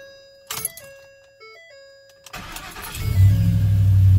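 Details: 2011 Ford Super Duty, 6.2 gas V8, first start after replacing the starter/solenoid (it had clicked with no crank): door chimes, a quick crank, then it catches and settles into a strong, steady idle. The starter works and the fault is fixed.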